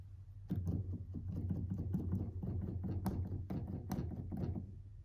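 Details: Komplete Control S88 Mk2 keyboard, under a month old: the 4D encoder knob buzzes when keys are struck, most noticeably from C3 to C5, louder when the knob is turned clockwise. Soft key thumps each carry a low buzzy rattle.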